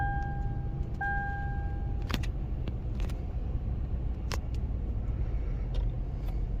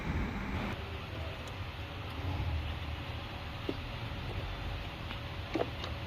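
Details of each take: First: Lexus with engine overheating issue, started with brake pressed: engine catches after a couple of chirps and settles into a low idle with a slight uneven stumble, a mild misfire present from start-up. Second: Lexus engine after repair of an overheating issue: catches and settles into a steady even low rumble with no knocks, misses or hunting; idling healthy.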